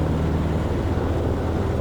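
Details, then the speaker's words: Cessna 150, Continental O-200-A, ground run-up after fix for takeoff power loss: steady even full-throttle roar, no misses, surging or roughness, reaching full 2600 rpm static; normal full-power run-up, smoother than before. "Okay, so normally the engine runs rough while I'm taxing like this, but it feels fantastic right now. Okay, full static. Okay, that's a lot smoother."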